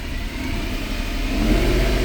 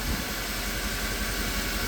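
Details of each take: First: 2010 Mercedes E63 AMG with a long-running misfire problem: revs rise from idle toward 1500 rpm, where the note turns uneven and stumbling. Cam signals stay stable until the bank-one misfire sets in and the car goes into limp mode. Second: 2010 Mercedes E63 AMG just restarted after valve covers were removed to inspect the cam adjusters: a low, even idle with no ticking or misses. It runs smooth, but the owner says that is nothing new.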